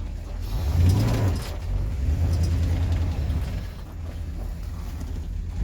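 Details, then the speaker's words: 1954 Pontiac Star Chief V8, warmed up, badly needs a tune-up (owner suspects a dropped cylinder, probably a plug, running on six or seven): deep, uneven, lumpy idle stumbling about three times a second; misfire. "i need to tune bad i think it's dropped a cylinder i think it'd just be a plug oh it sounds terrible"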